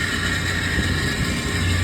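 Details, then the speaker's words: R22-type walk-in cooler compressor at a food prep warehouse, cooler holding 50 degrees, about 215 head pressure, 30-degree coil, 24 degrees compressor superheat; a heater lies on the suction or discharge line next to the compressor body; loud coarse churning sound. Compressor running rough. "So, this compressor sounds absolutely terrible, like garbage."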